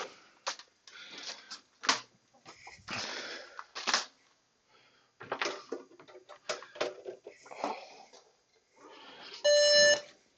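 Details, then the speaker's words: Dell OptiPlex at power-on after fitting a memory module that isn't DDR3L: handling clicks, then one high beep alongside an amber 3-and-1 blink code. POST error beep, likely memory. "And in addition to that, we've got a actual auditory beep."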